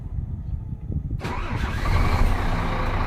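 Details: Scania P410 diesel truck (older 4-series), cold start from ignition key: quiet, then catches after about a second and settles into a steady, even low idle around 500–550 rpm before idle adjustment without SDP3; sounds healthy.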